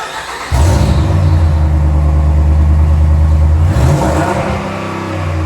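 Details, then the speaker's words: 2009 Dodge Ram 1500 after fitting short headers, catless Flowmaster exhaust and Rough Country intake to cure Dodge tick, O2 sensors reconnected: catches, settles to low steady rumble, one clean rev, no ticking at idle; healthy. "The exhaust is all on front and back. O2 sensors are plugged back in. Now let's see what she sounds like."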